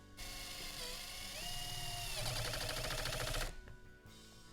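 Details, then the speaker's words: Pulse driver on a lower speed setting (it has three settings) driving a screw: a rising motor whine, then rapid, even pulsing for about two seconds. Normal and quieter. "quieter, and that was on the lower speed setting. You saw the first time how fast it drove that screw in."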